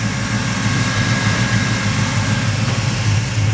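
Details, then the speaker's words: Chevy S10 V8 idling after repairing hacked wiring, new distributor, plug wires, electric fans, tachometer, gauges and MSD 6AL box; fans blowing, staying cool, deep even rumble with no ticks, knocks or stumbles, sounds happy. "It's staying cool. It's full of transmission fluid and full of parts. Sounds happy."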